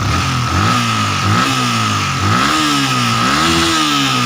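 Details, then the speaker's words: Yamaha Vixion engine after boring and new piston rings, valve clearance tightened, revved repeatedly: coarse, gravelly rattle rising with revs plus white smoke, attributed to poorly seated piston rings; piston to be replaced again. "Ini kalau menurut saya ini sekernya ini ngeplek ya, seker ngeplek. Suara ngecer ini diakibatkan oleh seker ya."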